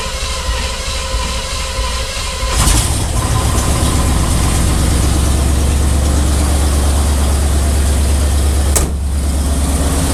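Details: Square-body truck with Oldsmobile 350 Rocket V8, first start after carburetor rebuild, plug gapping and oil filter change: cranks briefly, catches cleanly into a deep steady idle, no misses or knocks; fuel leak at front noted.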